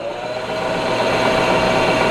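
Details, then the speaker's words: Cheap used non-CNC manual lathe powered up for the first time after contactors pulled in, chuck inching: smooth steady hum with one clean tone as the motor spins up, no grinding or knocking; sounds smooth. "ta làm việc này nghe có vẻ mượt mà"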